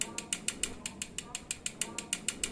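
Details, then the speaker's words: Engine with mechanical rockers (tappets) out of adjustment: crisp, evenly spaced light ticks about six a second; valve clearance, adjustable with screwdriver and feeler gauges, typically about 0.05 mm, varying by vehicle. "estas se pueden ajustar fácilmente con un desarmador y unas galgas usualmente la tolerancia que debe de haber entre la puntería y la válvula suele ser de 0.05 mm pero también varía mucho dependiendo al vehículo y al fabricante esta se escuchan muy parecido a los balancines hidráulicos como un golpeteo"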